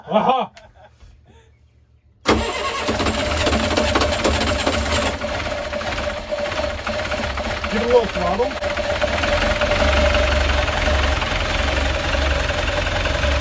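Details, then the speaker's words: Perkins 40 hp saltwater-cooled marine diesel, first start after a couple of years idle; after an intake backfire, it fires and holds a steady, even clatter with a touch of throttle; running properly if the temperature stabilizes. "if that stabilizes if that temperature stabilizes there then um you're in business yeah yeah yeah you're you're running"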